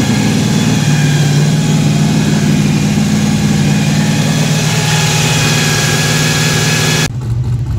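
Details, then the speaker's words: Fresh-built 4.3 V6 drag truck with a 4L60E transmission, on first start after a starter engagement fix. Loud, even, deep lumpy idle around 2100 rpm with no knocks or ticks; great oil pressure and voltage, water temperature coming up. "we got great oil pressure great voltage our water temp is starting to come up"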